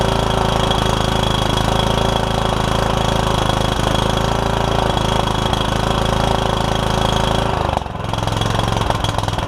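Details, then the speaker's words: Troy Bilt Super Bronco lawn tractor with a Kohler Courage engine and a cracked block, first start after a battery and fuel were added and the hood removed. A fast, uneven single-cylinder thump that stumbles near the end; running rough, owner thinks it needs carb work. "you have a runner sounds like I might need a little bit of carb work"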